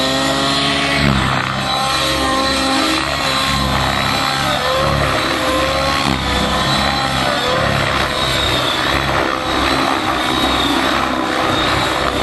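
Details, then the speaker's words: Nitro model helicopter engine after the high-speed needle was richened and about 2.5 minutes of running to build heat: steady, even buzzing with a clean, stable pitch and no stumbling or sag; normal running. "Yeah, you can really hear the difference now, you know that? It just seems like it's happier."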